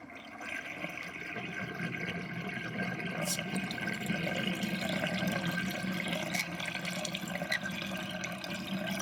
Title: Interesting kitchen sinkdrain with sinkplug 50.5 mm and gurgling sound